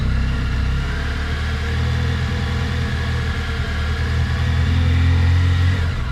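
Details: 2018 Honda Crosstourer at 1000 km idling and revving slightly, with a dull, fairly regular knock under the exhaust note.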